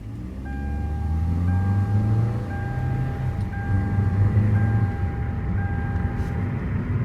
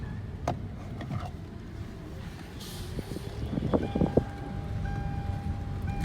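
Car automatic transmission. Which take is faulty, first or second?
second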